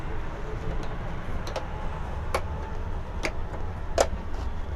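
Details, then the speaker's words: LED TV backlight repair: frame being reseated after checking the grips; a handful of crisp plastic tick-tick snaps, about one a second over a faint hum, as the frame's lock clips seat in place, showing the frame is fitted correctly. "ये जो आवाज़ आपने सुना, ये lock होने की आवाज़ थी। जो फ्रेम में लॉक लगे हुए हैं वो लॉक अपनी जगह पे लॉक हो जा रहे हैं, उसकी ये टिक टिक की आवाज़ थी।"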